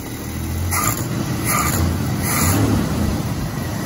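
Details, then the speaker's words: 1986 Dodge D150 Royal SE, 225ci six-cylinder, running after the new-old-stock carb was fitted and fuel was seen entering. Steady low, even rumble with no stumbles or flat spots, so it now runs normally. "I actually took the whole top the carburetor off I could see the gas brain in so now it's actually run and going in fired up"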